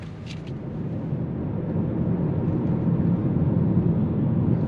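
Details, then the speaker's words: Hyundai Kona Electric, second road test after the gearbox and motor were repaired: only a low tyre rumble building with road speed, no gear whine or bearing roar; the electric drive unit now runs quietly. "Tentative numéro deux, nous espérons que cette fois tout sera silencieux et sans bruit, la boîte de vitesses a déjà été faite et le moteur a été fait . tout est silencieux"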